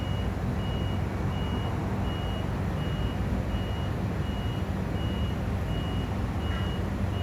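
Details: Crane standing idle after driver returned: high-pitched beep about every 0.7 seconds over low engine drone, nonstop; continuous warning beeping, cause unconfirmed.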